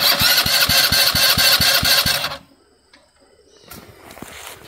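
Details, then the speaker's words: 2019 Dongfang 4-seat go-kart, sat over a year, battery recharged, fuse installed, bad gas drained: fast whirring crank with regular pulses about two a second for two seconds, stops without catching; crank no start, cause unconfirmed. "go ahead and start it up it's cranking it's a good sign"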